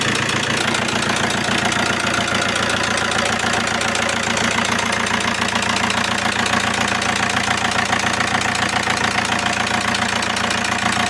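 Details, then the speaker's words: Alfa Romeo 159 1.9 JTDm diesel with code P0340, harsh start, low power; idles with a loud harsh knock three to four beats a second: timing belt jumped teeth, engine out of time. "today we have here another P0 340 we have a very harsh start and a very noisy engine"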